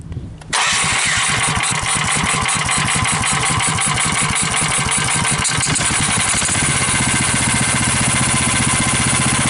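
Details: GX390 420cc single-cylinder engine after a carb swap with a new intake manifold, cleaned carb, new air filter, cable choke, ATV thumb throttle and battery: the starter whirs, it fires at once and settles into a fast, even thump with no misses.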